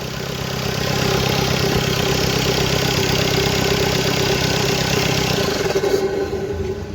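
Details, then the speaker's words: Audi Q3 2.0 TDI after removing and refitting the cylinder head; it previously knocked, smoked white and black, and misfired: now a smooth, even diesel idle with no tapping. Normal idle after the repair. "और एकम smooth है पहले कै टकटक करके आवाज मार रहा था"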